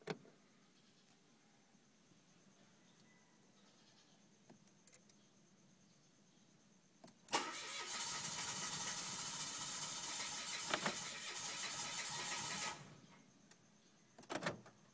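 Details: 2013 Mitsubishi Mirage: starter whirrs steadily for about five seconds with no engine catching or firing, then stops; cranks but won't start.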